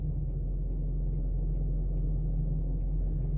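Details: 2012 Range Rover Vogue SE 4.4L TDV8 (LHD), parked with the engine running and the steering untouched: a deep, smooth, steady diesel idle with no clicks. The owner's low clicking from the front left appears only when turning right or in reverse.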